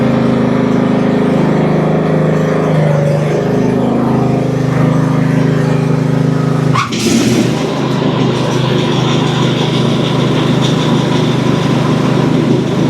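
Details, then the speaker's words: Cub Cadet CC30 H riding mower, MTD Power More engine, after repairing crank-no-start, test run with parking brake set, throttle in fast, top off: small single settles into steady even run, brief disturbance midway, no misfire or knock; runs normally. "seemed to run pretty decent it's kind of hard to tell until we get everything put back together"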